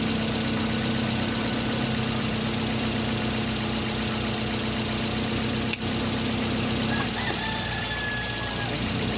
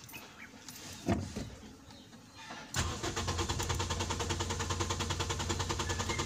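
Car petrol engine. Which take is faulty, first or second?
second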